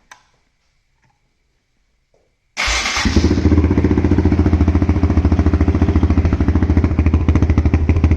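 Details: 2008 Honda TRX450R electric start after a crank/no-start repair at the starter clutch/reduction gear, with fresh oil, coolant and transmission fluid: fires at once into an even single-cylinder thump about three beats a second. Normal start and idle, problem fixed.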